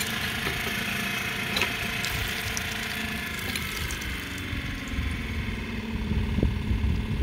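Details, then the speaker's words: PBL Industries FP12 fuel transfer pump on Weekend Warrior LE3305 trailer after gear repair, near-empty tank; steady motor drone with faint irregular patter, easing slightly as fuel comes through, no grinding, pump running fine. "let's give it a few more seconds i mean it sounds okay so let me get a quarter of a tank in there i mean it sounds like it's pumping fine"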